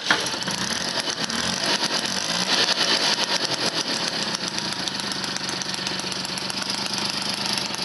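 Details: Motobécane 51 VS moped, 1978, two-stroke rebuilt after thirty years seized (new rings, bearings, seals, clutch, points, condenser); fires first kick and holds a crisp, even buzzing idle without stumbling; runs well.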